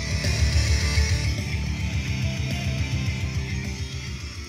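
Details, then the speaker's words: Bose Wave radio/CD player AWRC3G after repairing open tracks and a faulty resistor that cut the +10 V supply to the TL074C op-amp: guitar rock plays cleanly with full bass, no hum or distortion. "I know it looks a mess but I've got it going check this out"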